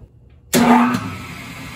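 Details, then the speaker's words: Rotary phase converter, a large three-phase idler motor on single-phase supply, at start-up: a loud harsh hum while the start capacitors are connected, then it eases to a steadier run once they drop out; normal start. "so that was it that noise loud noise it made as it was spinning up was the start capacitors connected and now it is just running by itself"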